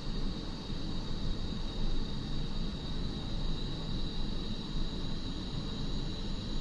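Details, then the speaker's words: iOptron GEM28 mount slewing declination at speed 9 after the motor was pushed out to re-tension the belt: steady, even motor drone with a faint constant high whine and no knocks or clunks; normal slewing, clunking fixed. "so as you can see just that minor adjustment to the belt took care of that knocking noise"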